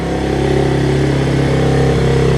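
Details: 1986 Honzuki 250cc carbureted quad at first start after cleaning its slide carburetor; clean, even revving as the throttle opens, smooth pulses with no stumble or popping: normal revving.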